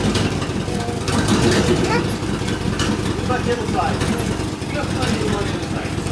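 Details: 1997 Suburban after swap to a used 1999 5.7 V8 with 118,000 miles, exhaust not yet fitted: steady deep idle with slightly uneven rumble and a faint miss, owner unsure of cause; normal idle.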